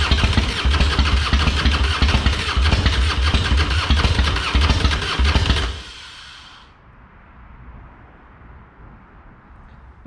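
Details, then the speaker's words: Harley-Davidson Fatboy with Screaming Eagle kit, sat two years, carb was plugged: about six seconds of steady starter churning, roughly ninety turns a minute, never catching; no-start, cause unclear, fuel leak then found. "sure why it's not wanting to to go"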